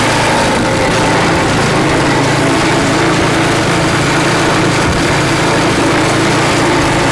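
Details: Craftsman snow blower (customer's) after cleaning and reassembly with a replaced seat: small single-cylinder engine runs loud and steady with an even, fast beat and no surging or misses; sounds healthy.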